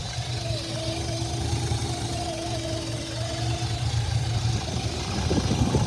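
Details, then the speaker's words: Chevrolet Tahoe 4.8 V8 idling with the engine cover off: a steady airy whistle over the idle rumble. It has had idle problems with AC on and an EVAP large-leak code. The sound changes pitch when the purge valve is touched, so an EVAP vacuum leak is suspected. "now I just pulled the top of this 4.8 off and I can hear air"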